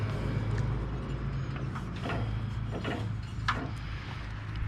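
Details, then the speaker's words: John Deere mower with Briggs & Stratton engine, hard to start and hard to turn over: steady low drone with scattered scraping ticks and rasps; owner suspects the belt adds noise, bad detent is the usual suspect. "just a belt let's pull the belt off because that Bell could be adding some extra noise"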